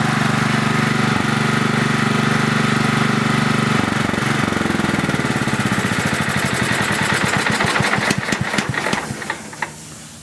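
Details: Craftsman LT4000 riding mower, small engine on two-year-old unstabilized gas, carb uncleaned, quick light tick over the drone, then winds down and stops at shutoff; owner suspects valves, not 100% sure.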